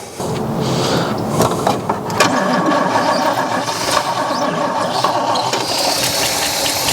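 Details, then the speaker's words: 1963 Oldsmobile 98, long stored, with gas shot down its unusual carburetor. It catches on ragged, uneven bursts and won't settle. Owner suspects crossed wires. Misfiring start. "there she goes oh I know I bet you I already know what the problem is I got one of these wires crossed up"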